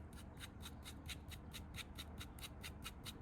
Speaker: quite crunchy and grindy uh and that's spinning all the time